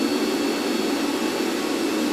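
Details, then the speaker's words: Antminer L3+ miner: one cooling fan just started spinning, making a loud steady roar with even hum and faint high tone, no wobble or rattle; normal fan operation, just noisy. "And in the background, as you can see, one fan started spinning and it's already making quite a huge noise. So this is the noise that just started to happen."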